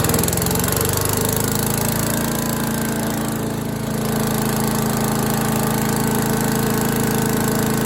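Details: Five-horsepower Troy-Bilt chipper/vac engine that sat for years, after fuel line replacement and carburettor refit: running at a steady, fairly high speed with an even beat and no stumbling; healthy, smooth run.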